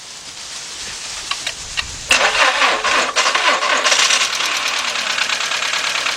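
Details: 2.0 Volkswagen, fuel pump recently replaced, running badly, jump-started: cranks and catches, then runs with an uneven, stumbling beat and irregular pops; single-cylinder misfire.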